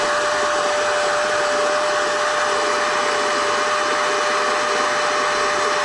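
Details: NovSight G5 6000A jump starter/tire inflator's built-in air pump, switched on and inflating an item until it is taut: constant high-pitched whirr with airy rush, unchanging pitch and loudness; normal pump running.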